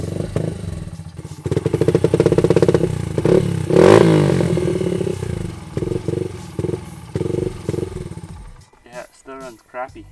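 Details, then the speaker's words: Honda XR80 dirt bike that sat for months with old gas, with an aftermarket BBR exhaust; carburetor fully rebuilt and cleaned with no plugged jets. It still revs unevenly, stumbling and surging between blips: rough running. "So as you guys heard the bikes still running pretty rough and a hundred percent sure I got that carburetor Completely clean."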